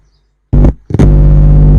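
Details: Intex home theater with one speaker very low: two short bursts of loud low mains hum when the input is touched, on both channels; amplifier stage passes signal, card may not be outputting audio.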